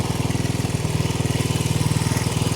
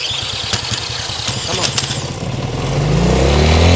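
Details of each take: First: 1970 Honda CL100 single, about 11,000 miles, freed from seizure, no battery fitted, still smoking from ATF in the cylinders while warming: steady, even quick thumping with no misses or knocks; normal idle. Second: 1970 Honda CL100 single, about 11,000 miles, freshly freed from seizure and cold, on partial choke: catches and surges up and down unevenly, never settling.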